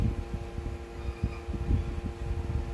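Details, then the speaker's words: Secondhand LG 25UM58-P ultrawide monitor gives a steady electrical buzz or hum whenever it is powered on, loudest in front of the screen; it was louder on the original stand and is reduced on an arm mount. Cause unknown. "i don't know if you could hear it but it's producing it this uh faint humming or buzzing sound actually it's not faint if you're in the front of the monitor"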